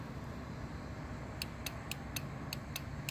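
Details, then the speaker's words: 2007 Kawasaki KLR 650 motorcycle no-start, start button pressed: starter relay clicks about four per second with no cranking; voltage drop test used to diagnose the no-start. "clicking and if you if you put your hand on it you can feel it clicking so we know we know we're getting a signal for it to start but the starter is not turning over"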